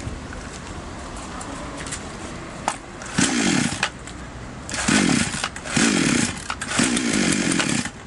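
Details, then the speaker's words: Chinese copy of a Stihl MS660 chainsaw idling weakly, each throttle blip surging briefly then bogging and dying; suspected incorrect carburetor adjustment, fix is turning both mixture screws in fully then out two turns. "видим, всё начинается, но тут же затихает."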